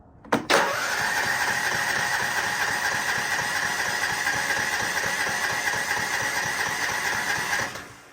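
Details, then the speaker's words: Riding mower which starts easily when warm. On full choke the starter cranks steadily for about seven seconds with a whirring drone but the engine never fires; hard starting. "All right, so this is a good enough of a mower, and when it's warm, it really starts easy, but it's on full choke and it's not starting."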